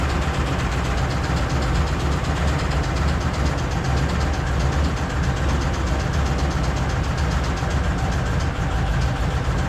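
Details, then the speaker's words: 1981 Chevy Corvette idling after engine reinstall and a timing correction of about a tooth: fast, even valvetrain ticking over a steady rumble. A loose passenger-side rocker arm was found; owner fears a bad lifter or cam lobe. "But I want want to adjust those lifters again because they are ticking big time. But she runs."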